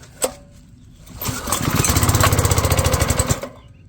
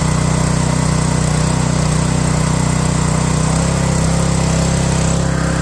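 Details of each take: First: Pressure washer small engine, cold start with choke on half: fires and chugs roughly about three and a half beats a second for two seconds, then dies; owner suspects too much choke. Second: Pressure washer, small single-cylinder engine after a cold start, with the choke released slowly and the throttle turned up: steady and even at a constant speed, with a low throaty note and no misses or knocks. Runs healthy once warm.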